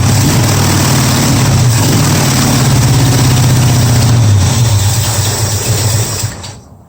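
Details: 1965 Mustang V8 on a test Holley carburettor: lumpy, uneven thumping about four pulses a second that sags and dies away, missing on several cylinders; owner suspects carburettor fuel starvation, not confirmed.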